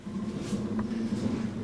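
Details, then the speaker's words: Dodge Caravan rear wheel, hub spun by hand: steady low hum with a faint gritty rumble, and the wheel rocks when grabbed; a completely worn-out rear wheel bearing, noisy on the road. "you hear that noise that's the sound of a completely worn out wheel bearing there's a that's a dead giveaway for a a worn out wheel bearing is when it makes a lot of noise like that"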